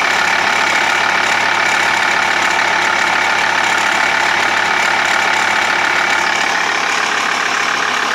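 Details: Diesel TDI engine ticking at idle: quick, fairly regular tick about three per second over steady idle, source unknown; crankshaft pulley and tensioner already replaced, timing belt changed 20,000 km ago, tick persists.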